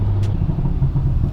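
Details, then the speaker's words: BMW 340 rebuilt from Copart salvage, stock engine with factory performance kit exhaust with two flaps; deep even exhaust rumble with steady beat, no rattles or popping; healthy stock sport exhaust. "Бля, звук космический, это стоковый звук? Да, стоковый звук. У него Швен Performance Kit, там свой выхлоп идет на две заслонки."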